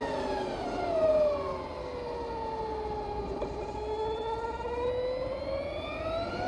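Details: Electric motorcycle with a fixed straight-cut (spur) gear reduction after the motor: a clear whistle rises and falls with road speed, obvious because the motor is near-silent. Normal spur gear reduction whine.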